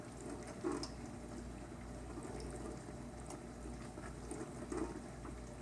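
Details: KitchenAid windowed dishwasher KDTM384ESS (44 dB rating), normal wash cycle: soft steady swish of water spraying the inside walls, no knocks or grinding; a tad louder with fewer dishes but still whisper quiet.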